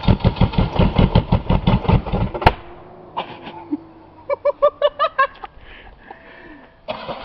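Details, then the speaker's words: Buick 3.8 (3800) V6 with one connecting rod and the oil pan removed, hole in the block, little oil, several cylinders already lost; uneven lumpy firing pulses for about two seconds then choking off, barely running on the starter and stalling, needs to cool. "baby it's running purely on the start we got to let it cool a minute"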